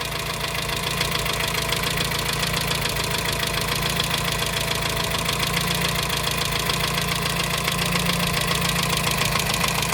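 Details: 1987 Dacia 1310 (Romanian Renault 12) idle: constant light tapping knock, about three or four a second, unchanged after crankshaft bearing replacement; mechanics suspect tappet on cylinder 1, later possibly piston skirt, or wrist pin; cause unconfirmed.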